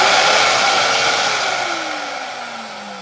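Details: Bissell vacuum repaired for a no-power fault, switched on after rechecking wiring and clip contacts: smooth motor whine that sinks steadily in pitch as it coasts down, no rattle or grinding; motor runs normally.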